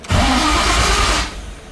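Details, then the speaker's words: Coyote GT-engine-swapped Ford GT500 on its first start attempt: the starter spins strongly about a second, then cuts out and the engine never catches. It should keep cranking until it starts. An unconnected crankshaft position sensor was then found and is suspected as the cause. "all right it's weird the starter stops it should kind of keep going until it starts"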